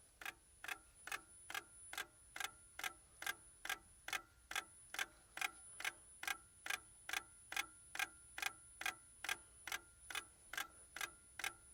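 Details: Lada Priora, cold, engine off with ignition on: crisp, very even light ticks a little over two per second. The car also starts poorly. Source of the ticking not identified.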